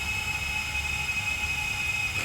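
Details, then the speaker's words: FT 210 quadcopter in Betaflight motor test, motors brought up to 1016 unloaded: steady high whine holding one pitch with no stutter over a low rumble; motors running smoothly at idle throttle. "and we're going to call it we'll take it to 1016 so 1016 they're run really smooth right now"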